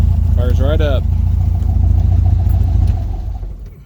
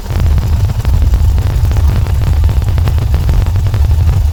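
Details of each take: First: VW Volksrod flat-four with dual Weber IDF carbs after idle mixture setup, engine not yet hot, EMPI distributor issues and jetting still needed: steady low beat on quick restart, slightly sporadic idle, no stumble; runs good enough. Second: VW Volksrod air-cooled engine with dual Weber IDF carbs and EMPI distributor, not yet hot: deep idle with a slightly lumpy, sporadic beat after idle mixture adjustment; jetting and distributor issues remain.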